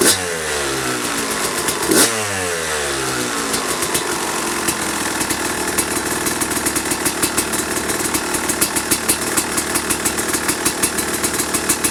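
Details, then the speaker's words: 2005 Kawasaki KX250 two-stroke, first fire-up after rebuild (low compression; piston shot, questionable plating, crank play), started first kick: crisp crackle settling to steady idle, quick clean throttle blips rising and falling freely; runs healthy. "But man, it sounds and smells really good."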